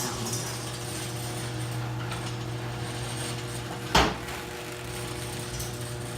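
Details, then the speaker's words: Newly installed Craftsman 1/2 hp chain-drive garage door opener made by Chamberlain: steady low motor drone with even chain rattle and one clunk partway through; the opener runs normally. "It's made by Chamberlain. It's a chain drive and it's really quiet."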